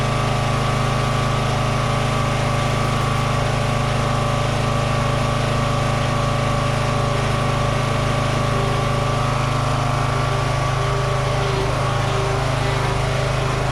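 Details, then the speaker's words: Toro 14.38Z zero-turn mower: steady low single-cylinder drone with an even beat and no misses or knocks; runs and works, slight smoky smell noted, oil burning unconfirmed. "it runs and works yeah all right Victory"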